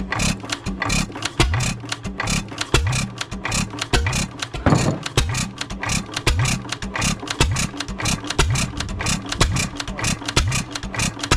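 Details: 3 hp Economy Model 3G hit-and-miss engine, possibly 1923, auction-bought, first run after priming: distinct firing pops every second or so with coasting gaps, smoking a little, no rod knock heard though owner unsure of the rod; normal running.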